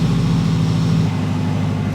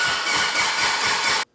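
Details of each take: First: Mitsubishi Evo 8 restoration, idle just after first start-up after long storage: smooth even low hum, no ticking or knocking, 85 PSI oil pressure; healthy. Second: Abandoned Mitsubishi Evo 8 under restoration with a new crank sensor and temporary wiring: even starter cranking with steady compression beats, but it won't start. The ECU shows no cranking RPM; wiring and ECM grounds are being checked.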